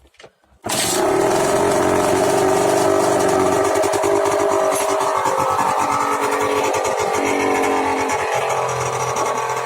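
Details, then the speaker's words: After cheap exhaust renovation: engine catches after a brief crank and settles into a steady, even buzzing run with no misses or knocks; running perfectly. "Ben voilà, c'est parfait."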